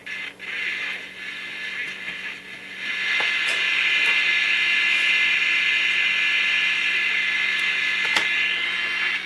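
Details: Mid-1960s General Electric transistor radio after resoldering poor connections and bridging a connection with wire: tinny station audio playing steadily with no crackle or cutouts.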